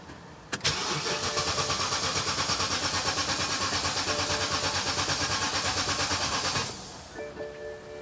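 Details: 2008 BMW X5 E70 showing a "4x4 drive, DSC malfunction" message: the starter cranks evenly at about three pulses a second for six seconds, then stops without the engine catching. Cranks but won't start.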